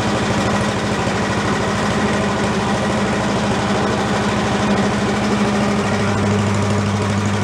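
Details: Commercial walk-behind leaf blower, repaired after carburetor problems, set on the ground for an extended run to check smoke: steady buzzing two-stroke holding even speed with a slight step near the end; normal running.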